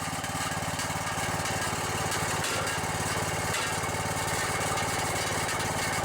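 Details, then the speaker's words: Junkyard riding lawnmower single-cylinder engine (Briggs/Kohler type) at idle: steady thump with a loose metallic buzz from the rattling muffler; engine otherwise runs even and sounds pretty good. "muffler well other than that muffler rattling sounds pretty good"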